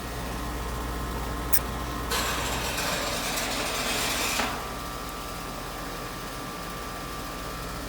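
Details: R22 air-conditioning unit running, Schrader valve tested with a Schrader tool: steady unit hum with a sharp hiss for about two seconds, then fading; refrigerant escaping through a faulty Schrader core.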